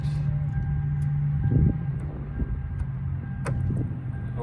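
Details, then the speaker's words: Lexus LS430 power seat after replacing the faulty seat controller module: steady low electric hum with faint whine, no grinding or clicks; seat now moves up and down as well as backwards and forwards. "it actually it actually does go backwards and forwards and now the main problem is fixed the seat goes up and down"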